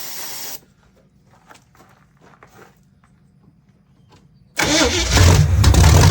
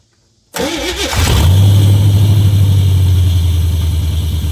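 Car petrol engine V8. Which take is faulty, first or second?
first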